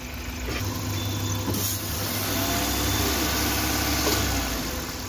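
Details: Old-model Maruti Suzuki Wagon R at idle: steady low rumble with faint uneven ticking; odd noise persists while parts are being removed and tested, source not yet found.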